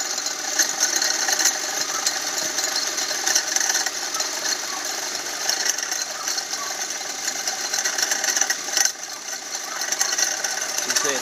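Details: Chrysler SRT-6 engine running: a fast, dry clicking tick from somewhere in the engine bay, cause unknown. The car is also leaking a lot of coolant.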